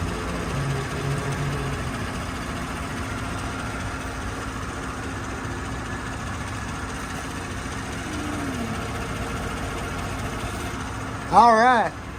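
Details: GMC Yukon idling after its fuel tank was reinstalled and a hole in the fuel feed line on top of the tank was repaired: steady, smooth, even idle with no knocks, running healthy.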